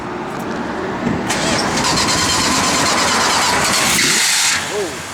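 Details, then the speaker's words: Restored 1968 Plymouth Road Runner, 383 ci/335 hp V8 with Edelbrock 4-barrel, about 10 miles since restoration: high squeal for a few seconds at cranking and start-up, then fades; slipping drive belt needing adjustment, possibly from a low battery charging hard. "Squeaky belt. Have the guys look at it, but again, there's going to be adjustment, guys."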